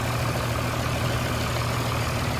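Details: 29-year-old TimberJack 450-C skidder diesel after sitting 8 years, freshly started, not yet hot, during blow-by check: deep steady idle with even beat, no misses or knocks; zero blow-by, healthy.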